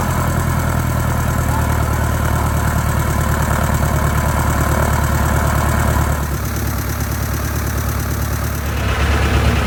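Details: 1946 J-3 Cub engine at first start after a four-year restoration: a steady propeller drone with a regular firing beat that picks up smoothly, no roughness. Mags and carb heat checked good, temperature a little over 100. Normal idle and run-up.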